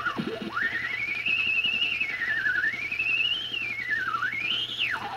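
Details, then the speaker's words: Tube radio receiver after a failed owner restoration with recapping, warmed up at full line voltage: a loud, wavering whistle swoops up and down like a theremin over a low mains hum; the receiver is oscillating, cause not yet located. "At any rate, so what's happening is there's an oscillation happening here."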